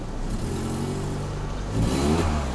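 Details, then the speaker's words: Peugeot 307 180hp Feline at 91,000 mileage, bought recently, with a conversion. A deep, loud engine drone rising with revs, with a raw open exhaust note. The owner suspects there is no catalyst inside, though it is supposedly new. "I hear the sound I don't think there's Catalyst on this even though theing that there is new"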